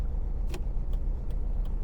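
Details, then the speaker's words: Restored Mazda MX-5 on its first drive, cold frosty morning, still warming up, light throttle: low lumpy running with a dull puff breaking the rhythm about every 0.4 seconds, misfiring on three cylinders; poor engine earth lead suspected. "like it's literally it's running on three cylinders there now it's pulling along all right"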